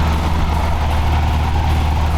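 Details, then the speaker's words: Toyota 4Runner 22RE engine at a steady, fast idle with a low even hum; blocking the throttle blade edge on the linkage side drops the idle, showing an undersized blade leaking air past its edges; chronic high idle. "on the side where the linkage sits we hear the idle go down this tells me that the edges of the throttle blade are leaking and that the throttle blade itself is smaller than the bore of the throttl"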